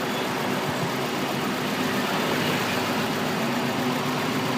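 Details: 2003 Honda Accord with K20 engine at idle: a steady idle with a slightly uneven, rough note, as if a cylinder drops out now and then (cylinder 3 possibly mentioned). Misfire at idle.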